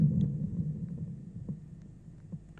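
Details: Thunder THC-SUB101 active subwoofer: after 10–30 min of normal play, irregular low thumps and soft pops over faint hum, like a wire shorting; stops when line input from filter board to amplifier is disconnected, so filter board (±15 V supply, op-amps already replaced) suspected, not confirmed.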